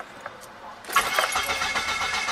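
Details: Car cranks but won't start: starter spins the engine at a steady rhythmic pace but it never fires; fuel pump fault, with no fuel coming out when checked.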